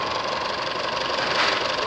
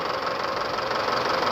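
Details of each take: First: Isuzu D-Max 2.5 L diesel (4JJ1/4JK1) after a rebuild, left idling since the night before with no oil, coolant or fuel leaks found. Steady, even diesel clatter with a consistent beat and no stray knocks or misses; healthy idle. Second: Isuzu D-Max 4JJ1 2.5 diesel with loose worn engine before overhaul: loose clattery rough idle, heavy crankcase blow-by pushing oil out of filler.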